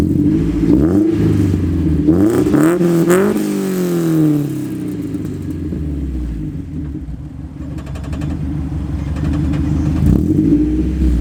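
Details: Mazda Miata after installing a Super Miata crossflow radiator, QMax coolant reroute, MazdaSpeed intake cam, timing belt and water pump, and ISR headers with EGR delete, no check engine light: revs blip and settle smoothly to idle with no knocks, sounding healthy.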